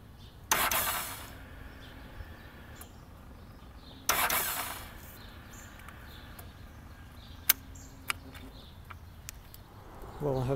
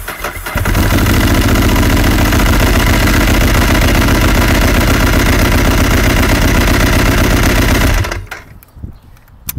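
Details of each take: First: 2007 Ducati 1098 with new battery reading 11.7–12 V, before HICAP copper starter cable install: two short, sluggish starter bursts fade without catching; weak cranking from degraded starter cables, bike also stalled hot and failed to restart. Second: 2007 Ducati 1098 with intermittent starting issue, control test before HICAP copper cables on fully charged battery at 12 V; about half to two seconds of brisk cranking, twin catches and holds a steady strong idle: normal start.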